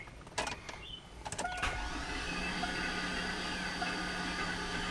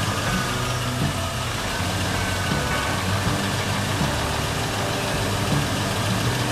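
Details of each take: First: Garage-rebuilt LS engine, cranking on starter with spark plugs out to prime unprimed oil pump on weak battery: a few clicks then fast, even starter whine, no compression pulses. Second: Garage-rebuilt LS engine, first start after priming oil pump, coolant system still water-filled: started very quickly, steady even idle with smooth low rumble, no knocks or ticks; about 58 psi oil pressure, normal idle.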